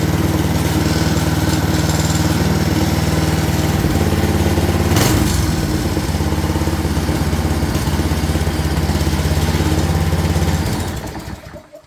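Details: Craftsman 22" walk-behind string trimmer with Craftsman flathead engine (6.75 ft-lb torque), started after cleaning and priming the bulb: steady, even clean low thrum, no stumbling or hunting, then cuts off cleanly; normal running.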